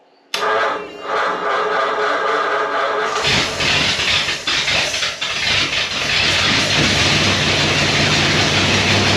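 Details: 1937 Ford with a 59AB flathead, straight-pipe dual exhaust and freshly recored radiator, warm day, fuel pump priming: catches after a short crank, loud raw burble rising on blips and settling evenly; sounds healthy.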